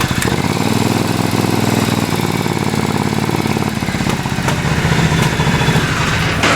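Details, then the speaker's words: Hot Triumph twin before carb sync and pilot adjustment, choke applied to test mixture, where idle rising would mean lean: uneven idle firms up and lifts slightly with choke, hinting at a lean mixture, which is suspected, not confirmed. "we're gonna choke it out and see if it's running clean or rich like running lien will be enriched the mixture title goes up"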